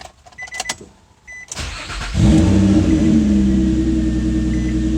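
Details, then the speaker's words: 2013 Chevy Cruze after replacing the coil (a bad one had been installed by mistake): a couple of chimes, a short crank, then the engine catches and settles into a smooth, even idle with no misfires. "yeah sounds good no misfires"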